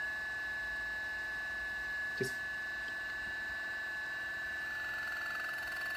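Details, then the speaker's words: Timemore Sculptor 078S coffee grinder running at a fine setting near zero: a steady high whine with a faint rubbing edge, showing the burrs almost touching. Zero should sit a few notches away from this point. "can you hear that? That means the burrs are almost touching each other. So I want the zero position to be just a few notches away."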